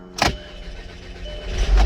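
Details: 2007 VW Passat wagon with intermittent no-start after stalling, fuel pressure primed to about 80 psi: click, brief crank, then it catches and settles into a steady low rumble, after which fuel pressure falls from about 65 toward 50 psi; normal start.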